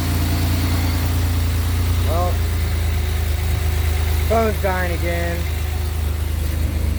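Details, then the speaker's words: 2007 Pontiac Grand Prix GT just after an oil change with Mobil 1 and a new oil filter: fires right up into a smooth, steady low idle with an even hum and no knocks or misses; running cleanly. "okay now i can attempt she fired right up baby"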